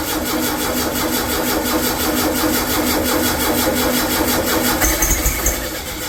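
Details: Freshly rebuilt VW air-cooled 40HP engine, first start attempt: rapid uneven chugging as it cranks on the starter without firing; no-start, a bad fuel pump that wasn't sucking fuel suspected.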